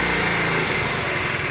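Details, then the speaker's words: 1975 Honda Z50A after full top-end refresh (new piston, rings, cylinder, refreshed head), first kick, choke partly on, carb unadjusted: quick, fairly steady small-single idle, brief early dip; normal idle. "hey, not too bad for not even adjusting the carb. I mean, my god. Okay, I'm uh I'm totally thrilled by that."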